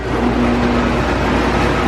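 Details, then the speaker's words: Shop fan used on dyno while tuning a Honda, noisy for the last couple of months: constant droning with a buzzy, loose rattle in the steady run; fan rattle. "This thing's been getting noisy over the last couple of months. It's like rattles, but we don't want to breathe in any exhaust."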